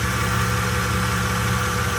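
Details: Ford/Lincoln 3.5 V6 after in-car water pump replacement, first run with a little smoke from spilled fluids and a power steering leak noted: steady, even idle hum with no knocking, ticking or whine; engine idling normally.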